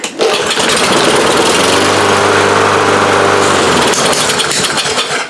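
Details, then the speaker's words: Lawn Boy push mower after carburetor repair, previously no-start: catches within a pull and settles into steady even buzzing run with no misses; normal start and run, carburetor issue confirmed fixed. "so anyway the answer to the question is yes it will run obviously it was a carburetor issue"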